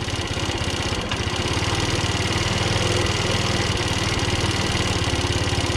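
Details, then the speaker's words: Old 50cc scooter with bad fuel still coming through the line to the carburetor: small single idles unevenly, stumbling and wandering around four beats a second; owner may drain the float bowl. "Yeah, there's still some bad fuel coming through that line right now. I'll probably drain that carb here in a second."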